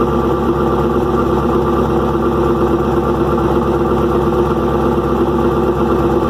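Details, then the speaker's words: First cold start after engine rebuild with new lifters: loud, busy idle with clattery top-end valve train chatter, exhaust also loud; owner suspects too-long unmeasured pushrods and is ordering shorter ones. Finding: valve train noise at idle. "i'm hoping that's what the issue is because the valve train is making a ton of noise"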